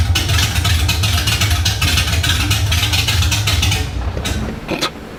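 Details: LS1 V8 swapped 240SX with open headers, fuel very low: loud, lumpy running under throttle, then revs sag and it dies within a second of lifting off, won't hold idle; owner suspects low fuel, not confirmed.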